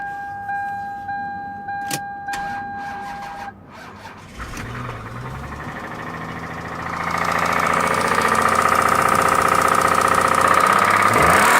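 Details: 1998 Toyota Camry: warning chime, then the petrol engine starts and is revved hard with a light rod knock from a worn rod bearing, before the engine blows up and throws a rod.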